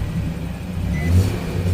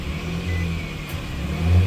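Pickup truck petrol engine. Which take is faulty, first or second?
first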